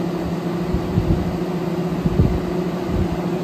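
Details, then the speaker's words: 1999 new-old-stock Honeywell twin window fan with electronic speed control, on high speed: steady low drone with a strong buzz like a swarm of bees; electrical hum no longer heard but fan noisy, cause unknown. "now at this point I can't hear the hum but the fan itself sounds like a swarm of be so it's still annoying either way"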